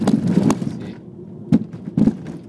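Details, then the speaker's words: 1997 Audi C4 A6 Avant right front suspension with 2011 Bilstein B8 strut and H&R spring: sharp pops and thuds over every bump; owner says not the shock, suspects strut bearing or loose strut-to-chassis mount. "okay let's have a listen to the uh annoying suspension popping noise just set down here that's yes that's the noise I'm talking about"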